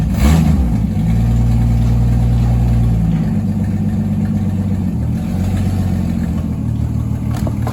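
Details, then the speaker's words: 1963 Ford Falcon Futura, 170 inline-six, after 25 years parked, running after a new radiator, water pump, alternator, carburetor, plugs, wires and ignition switch; deep, even note with a small throttle change, steady firing with no misses or knocks. "This thing is running so smooth now."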